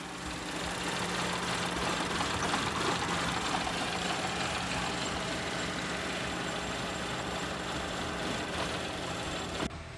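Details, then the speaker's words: A customer's car idles roughly with an uneven knocking pulse, about three a second, under the engine drone. The engine is visibly moving and shaking. The cause is unknown. "Customer stated their car is possessed after they saw the engine moving like this."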